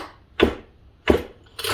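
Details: Homelite XL 922 Super 77cc chainsaw: three firm pull-over strokes about two-thirds of a second apart, each with a solid chuff, showing strong compression.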